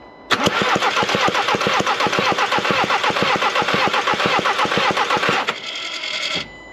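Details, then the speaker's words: Skoda Octavia vRS compression test on cylinder 1, the previously diagnosed problem cylinder, with injectors in and a slightly flat battery: five seconds of fast, even, airy cranking with no firing and zero compression on cylinder 1. "and there we go L as you can see no compression whatsoever so let me now just I know the batter is a little bit flat but we should still get some compression"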